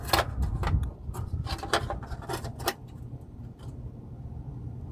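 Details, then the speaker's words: 2007 Toyota Tundra at idle: loose tinny clattering in irregular bursts from a heat shield shaken loose underneath; it can be bolted back on at its screw hole to stop the rattling. "I could bolt that on there. That'll stop all the rattling. That's all the rattling bad."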